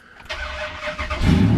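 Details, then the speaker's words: Weak cranking, worse when the engine is warm, blamed on a loose battery terminal, after a trick to snug the terminal connection, cold start: brief brisk cranking without dragging, then the engine catches; starter getting full current, normal cranking. "so much better it didn't drag like it was supposed to i mean not like it was supposed to it didn't drag the connections better"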